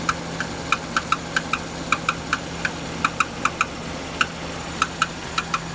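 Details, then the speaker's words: Renault Duster, 2.0 F4R, DP8 automatic, AWD, 80,000 km, warm idle, absent when cold: light uneven ticks from below near the gearbox, loudest by the wheel, still present but sparser with a little throttle; owner suspects the flywheel, unconfirmed. "сейчас чуть газанул тя нет тоже есть пореже но тоже что-то там постукивает"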